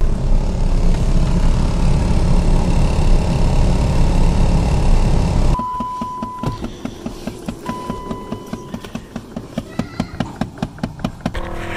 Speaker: صوت مزعج بيصدر من طابلوه السيارة عند تشغيل المكيف. الصوت ده غالبا بيظهر لما تشغل السرعة التانية أو التالتة أو الرابعة من مروحة المكيف، وفي بعض الأحيان التانية بيظهر لما تمشي على طرق مكسرة ومطبات.